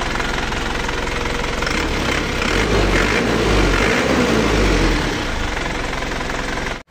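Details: Isuzu Panther Touring diesel before repair, as it arrived: steady idle clatter with a rough, uneven chuff, compression leak (blow-by).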